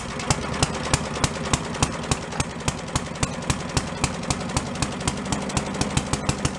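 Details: Yard-sale walk-behind leaf blower after carburetor cleaning, needle/shut-off flooding fixed, air cleaner refitted: small two-stroke idling steadily with crisp even pulses, some smoke; normal running.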